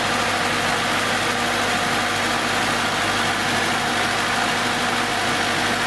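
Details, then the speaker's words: 1970s Datsun engine idling on its 6.5-year-old 12V battery after rejuvenation from deep discharge (12.76 V); steady even hum, no knocks or misses, running smoothly. "And so it's like we have a brand new battery, 6.5 years old, and completely rejuvenated."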